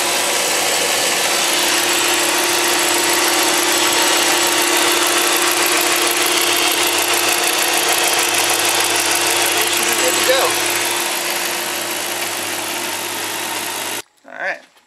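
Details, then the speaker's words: 2007 Dodge Magnum R/T 5.7L Hemi V8 after changing all 16 spark plugs, cold: smooth, steady idle with an even firing rhythm and no skips, then shutoff; all cylinders firing, with only a squeaky belt that squeaks when cold. "All the cylinders are firing."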